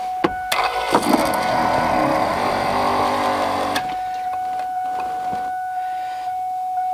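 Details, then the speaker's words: Mustang convertible top hydraulic pump after replacing the rams: cycling the top up and down to purge air, the electric pump whines about three seconds with a strained, uneven roar, then a thin tone lingers; air still in the lines. "now the goal is to keep on doing this until until it completely quiets down and then we know or until it won't take any more fluid essentially"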